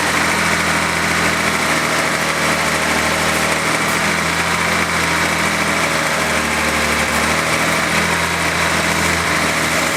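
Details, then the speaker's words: 1970 E-type coupe idling in neutral after sitting about 4.5 years: smooth, even idle with no knocks or misses and good oil pressure; normal idle. "sounding good sounds great i really like it good oil pressure"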